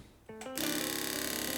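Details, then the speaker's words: Yamaha FZR 1000 2LA after about two months standing: key on brings a fast, steady clicking chatter with engine not running; owner suspects a relay may be failing, cause unconfirmed. "whenever I turn on the bike it does this wild clicking sound"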